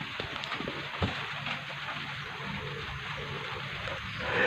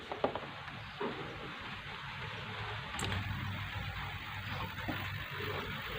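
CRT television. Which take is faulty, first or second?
first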